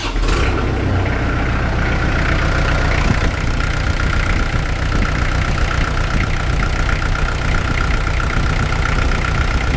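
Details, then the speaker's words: Kubota L48 at idle right after resealing hydraulic swing pump 3: the diesel starts and settles into a steady, even idle with a faint pump hum, no knocks or misses, and no leaks seen. "Fire this thing up, see what it does. Start it up at idle."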